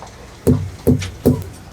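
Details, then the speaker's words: Hammer knocks on a trailer tire with central inflation during a pre-trip check: three sharp, ringing knocks about 0.4 seconds apart, each with a solid bounce. Tire full of air, properly inflated. "Let me do that again. Full of air"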